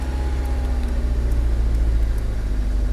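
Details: Proton Wira after fuel pump replacement, test start: steady even low idle with no misses, knocks or surging; engine runs smoothly, new fuel pump working.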